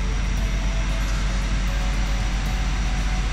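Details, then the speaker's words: 2011 Ford F450 diesel after replacing an injector for code P1266 injector short/misfire, and programming it; deep, even idle rumble with no misfire stumble. Runs smoothly, fault fixed. "Fire this thing up here and see how it runs. Oh, runs like a dream. Look at that. Perfect."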